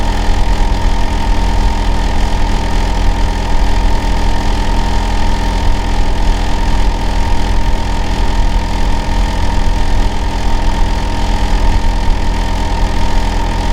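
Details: Neighbour's Hitachi air-conditioner outdoor unit running in winter, recorded from next door: loud, steady low drone with a fixed hum and no rhythm change; runs year-round, noisiest in summer and winter, cause unclear.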